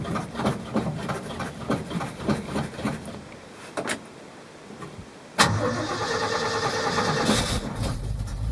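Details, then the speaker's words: 1971 Ford F250 Highboy V8 carbureted truck, first start since last fall, pedal-pumped with no starting fluid: a few cranks, then it catches and settles into a steady idle with the choke working. Normal cold start; an exhaust leak at a bolt fitting was noted. "I would have expected it to crank a lot more than that where it's at forever but you know it's a Ford"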